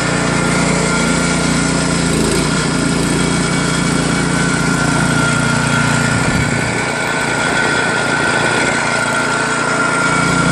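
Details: New Craftsman snowblower with Chinese PowerMore single-cylinder engine, after carburetor jets and holes were blown out to clear ethanol gum: steady, even beat with no surging or sputtering; normal running.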